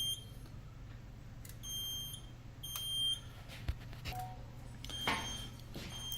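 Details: Edwards EST3 fire alarm panel: high, steady beeps in short irregular bursts over a faint low hum; panel sounder active, cause not given.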